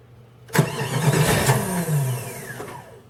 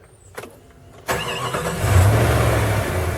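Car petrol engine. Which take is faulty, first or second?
first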